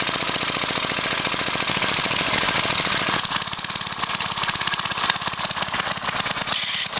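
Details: Briggs & Stratton 5 HP single-cylinder engine, sitting unused for years, run without a carburetor on propane from a barbecue grill tank, valve-metered mixture: fast, even firing at steady speed, no misses or knocks; runs normally on propane.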